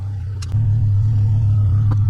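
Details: 1985 Nissan 300ZX Turbo (Z31), formerly cutting out and misfiring under boost, after new plugs and wires and a torn intake charge-pipe hose replaced, on a drive: deep, loud drone stepping up sharply and holding strong under load, no misses.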